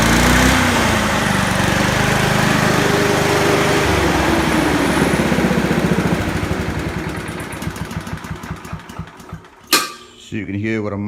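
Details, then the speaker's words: Honda HRU216 lawn mower, throttle at fast, governor lever being moved: engine fires up, pitch shifts, then dies away; speed about twenty percent below full rpm until the governor is adjusted further right. Governor set too low. "massive difference that's making moving that Governor on go see its I say it's down twenty percent on its full rpm speed so just adjust that governor"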